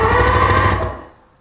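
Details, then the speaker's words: Abandoned 1997 Sea-Doo GTI 720 whose engine was reportedly no good, cranked on a booster box: short burst of even, pulsing cranking with a firm chuff each stroke; compression sounds healthy. "it sounds like it's got compression boys it sound like you've got compression for real"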